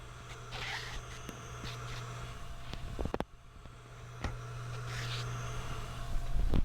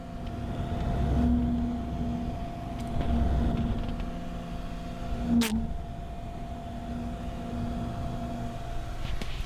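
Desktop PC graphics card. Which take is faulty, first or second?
second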